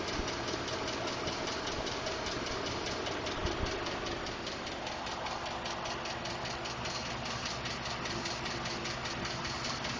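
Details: 2012 Ford F-150 5.0L V8 idling with a steady light ticking or knocking, about two or three ticks a second; Ford has called it normal but is working on a solution.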